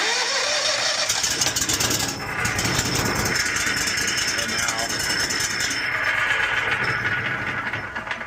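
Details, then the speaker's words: 38 HP Kohler EFI engine on Branch Manager stump grinder with intermittent no start, after hardwiring fuel pump with fused hot wire and ground to battery: brief crank then catches, runs steadily, revs up and drops back cleanly; works perfect. "And now it starts. If I go to ramp it up, winds out, throttle down, whatever. Works perfect."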